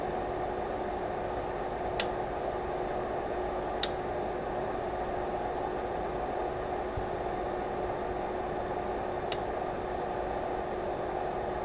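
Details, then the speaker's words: Lavolta BPS-305 30V 5A bench power supply, mic close: steady fan hum with sharp relay clicks at 7.5, 15 and 20 V as the voltage is adjusted, showing a four-tap transformer switching normally. "you could hear the relays clicking at seven-and-a-half at 15 and 20 volts that means that the transformer in here has four tabs because you have four ranges"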